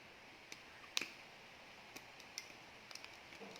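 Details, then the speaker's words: Wiring a three-way light switch: a few sharp, light ticks as the wire is pushed into the push-in terminal in a quiet room. The click means the conductor is fully seated. "sure that you hear the ticking sound once we heard the ticking sound that means our wire is already we have to make sure that the wires are fully inserted"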